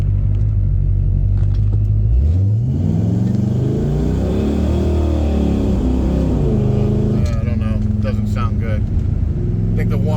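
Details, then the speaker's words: 1972 Pontiac LeMans with replacement 400 engine at drag strip: revs flare under hard pull while speed lags, sloppy shifts, no third gear, stuck in second; automatic transmission slipping. "There it is. We got no third. We got second."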